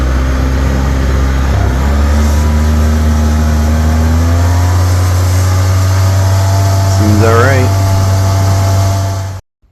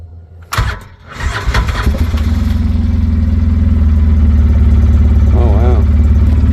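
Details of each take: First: 2007 Polaris Ranger 700XP with a used replacement engine, a blue 1,000 rpm clutch spring and a new motor mount: a steady, even low idle with one quick rev blip that settles back cleanly. The engine sounds healthy. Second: 2007 Polaris Ranger 700XP bought needing work, oil topped off and new battery fitted, original engine started: settles into a steady idle with a regular knock about three times a second. Internal engine knock, cause unknown; valve train looked fine.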